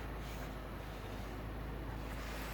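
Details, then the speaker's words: 2007 Nissan Primera P12, 170,000 km, cold start at −17 °C; engine idles evenly while the steering wheel is turned, with no whine or groan from the power steering pump that previously howled, now quiet and normal. "Я ничего не слышу я слышу только Как ровно работает моторчик"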